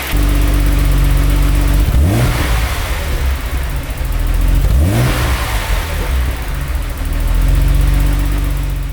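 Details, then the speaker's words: 1987 Jaguar XJ-SC 3.6 AJ6 straight-six, manual, sports exhaust, recorded from the rear in a workshop during light revs: deep, throaty note rising through two blips and settling back to a smooth idle. Healthy; normal revving. "Now, doesn't that car sound great? It sounds really deep and throaty and really nice."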